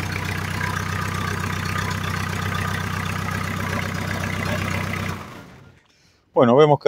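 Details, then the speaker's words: Ford Fiesta 1.8 after fixing loose alternator bolt, new alternator belt and oil top-up: engine idles with even low hum, no ringing or rattling against plastics as before, then shuts off; normal idle after repair. "quedó bárbaro no hace ruido no hace como antes que hacía un ruido a campaneo ni tampoco el ruido que hacía tocando lo que es plásticos y demás"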